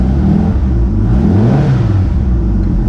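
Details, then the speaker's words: Pulse Autocycle with 1200 engine, first start of 2021, warmed up idling a good while: smooth, even purr rising and easing as it is revved, no knocks or rattles; running really nice. "you can hear the purr of the engine it's running really nice you can hear when i rev it up"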